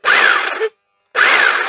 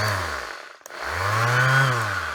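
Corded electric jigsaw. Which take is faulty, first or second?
first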